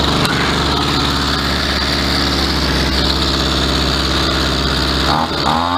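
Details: Skyron CG 330 two-stroke brushcutter after a new carburetor, gasket and spark plug: steady buzzy idle that sits a little fast and dips near the end. Idle speed needs turning down slightly.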